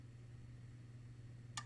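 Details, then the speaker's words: IMPO 25V 1A dual power supply from 1968: a low steady transformer hum, then one sharp relay click as it switches to the higher transformer winding. The output goes from 9V/900mA to 9.2V, and input power rises from 35W to 57W. "relay is activated and that means of course the voltage from the Transformer we take two different windings"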